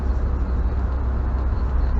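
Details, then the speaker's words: 1980 Triumph TR7, road test after ignition coil fix: steady deep drone pulling evenly in third gear at about 2000 rpm, no stumbles or misses; running nicely. "he's running quite nicely"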